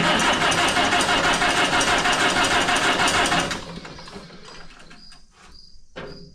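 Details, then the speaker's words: Oliver 66 tractor just fitted with a replacement Marvel Schebler TSX carburetor after carb issues, first start: steady regular idle about three pulses a second, no misses or hunting, idle set well and snappy; normal idle. "got the idle set pretty good. Right off the bat. It's snappy."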